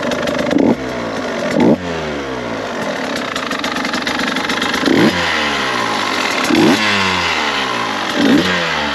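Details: 2022 KTM 150 XCW two-stroke dirt bike, first start; quiet, crisp idle with a few quick throttle blips that rise and settle cleanly. Normal idle.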